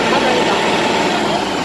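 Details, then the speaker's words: Scania 380 hp truck, 2003 model, after a three-stage engine oil additive treatment; steady, even diesel drone, no knocks, misses or surging, sound now smooth and even, normal idle. "소리 가 부드럽죠 ? 소리 가 이제 고르네 요 , 그렇죠 ?"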